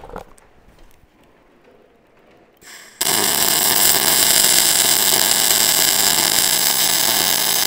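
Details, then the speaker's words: Normal short-circuit MIG arc with .035 wire and 90/10 shielding gas, running a small bead: after a quiet start, a loud, steady, sizzling crackle like frying bacon. "you hear that kind of crackling that bacon sound"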